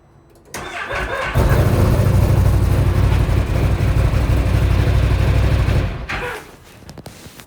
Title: Weird noise coming from my 2025 XMR 1000 when starting